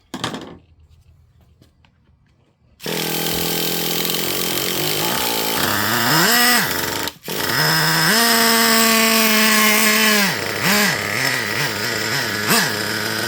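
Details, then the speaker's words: Traxxas Revo 3.3 nitro with the high-speed needle richened past its original setting: idle a little lower, and it cuts out at wide-open throttle and sputters when blipped, with excessive smoke. Too rich, bogging. "Notice the idle a little bit lower. And there you go. See? Boom. Cut off as soon as I hit the throttle."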